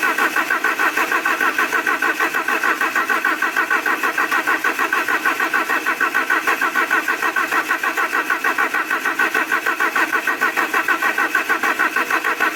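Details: Alfa Romeo 147 Twin Spark after misfire and rough-idle repair (new valve seals, timing belt, cleaned oil-fouled coils and cables): even, steady idle with regular pulsing beat, no stumbles or skips; normal idle.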